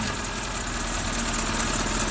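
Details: 2012 Renault Logan 2 with K7M petrol engine idling: rapid, regular rod knock under the hum; the catalytic converter broke apart, debris was drawn into the cylinders and spun the connecting rod bearings.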